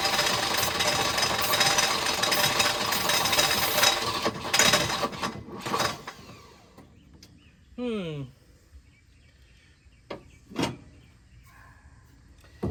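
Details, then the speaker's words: Abandoned Volvo 242: about six seconds of loud, ragged, uneven firing that dies away; ignition timing is suspected too far advanced or possibly 180° out. "Still too far advanced, I think. Could also be 180 out. It's running. That's running."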